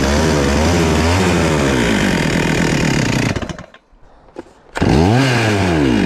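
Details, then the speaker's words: Stihl MS441 chainsaw, older saw, 145 psi compression, now warm: revs sag unevenly, nearly dies, then catches again, needs feathered throttle, sounds lean; erratic warm idle, found to be a worn piston and cylinder. "so as you see guys it just won't stay idling now that it's warm so it's idling really erratic when it's warm and i gotta feather the throttle it kind of sounds like it's running really lean"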